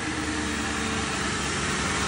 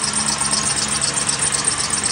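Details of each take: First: 2001 Mercury Grand Marquis 4.6 2V V8 after replacing serpentine belt, idler pulley and worn-bearing wobbling tensioner pulley: steady even idle with no squeak, chirp or bouncing pulley. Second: 2001 Mercury Grand Marquis 4.6 2V V8 idling: harsh, fluttering high-pitched whirr over the engine from a worn tensioner pulley bearing, tensioner visibly wobbling; belt dry-rotted, before replacing belt, idler and tensioner pulleys.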